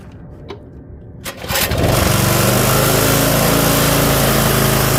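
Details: Curbside Toro 5.5hp self-propelled mower, choked and set to full run, pull-starts and picks up to a steady, even high-speed buzz with no stumbling, misses or surging during an extended run; normal full-throttle running.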